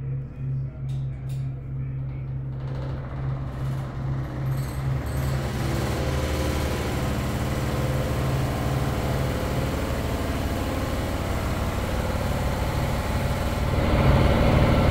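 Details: Broan bathroom exhaust fan drone with a buzzing rattle on top. The fan itself is not faulty; its vibration shakes the whole ceiling and rattles the drop-ceiling fluorescent light covers.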